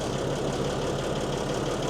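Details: Mercedes-Benz 911 4WD diesel truck, just started after sitting many years, good oil pressure and no leaks. Steady, even diesel clatter at idle with no misses or knocks; normal idle.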